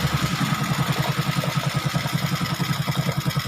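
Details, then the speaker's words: Honda XRM125 after top-end overhaul, oil pump flowing and oil spraying, smoke from oil dripped on exhaust; even quiet idle about 160 beats a minute, no knocks; normal idle. "So, flow yung oil pump yan tumatalsik na yung langis. All goods. Perfect. Tahimik."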